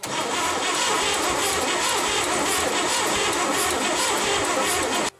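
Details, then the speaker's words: 1970 International 1200 pickup that sat 30 years, cranking for about five seconds without firing: rapid, steady starter churn that never catches; owner is losing spark and suspects points and condenser need cleaning or replacing. "I mean, it has been sitting a long time, so unfortunately no fire right now."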